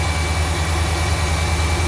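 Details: 1992 GMC Sierra C1500, 350 TBI, 242k miles, after replacing a failed water pump: deep, steady V8 idle, even beat, no squeal or bearing growl from the front accessories; normal idle.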